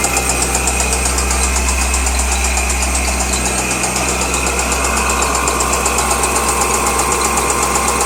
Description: Noise from LS6 Engine in a 2003 Z06 Corvette